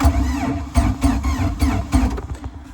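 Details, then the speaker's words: Free boat engine, long non-running, cranks slowly and unevenly at about three chugs a second and fades without catching; no spark or cranking too slow, alternator wires found unhooked. "No spark. Either no spark or it's not cranking fast enough, so I guess we'll take out the plug, see what it looks like."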